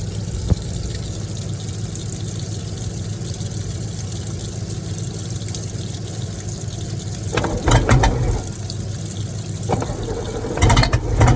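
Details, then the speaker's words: V8 marine engine in boat, first start in 21 years, fuel fed from a water bottle, timing thought late: deep burble hitting on all cylinders, slightly uneven idle with water splashing; sounds healthy. "so as you can see in that last clip we finally have the boat running and it it runs pretty good actually it sounds healthy sounds good it sounds like it's hitting on all the cylinders"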